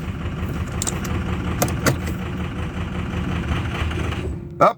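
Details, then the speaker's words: 2006 Ford F250 Super Duty 6.0 Power Stroke diesel running rough and labored, then stalls abruptly when shifted into reverse, followed by a single clunk; part of ongoing hard-start/rough-running problem, cause unknown. "there you go i just put it in reverse and it's stalled out"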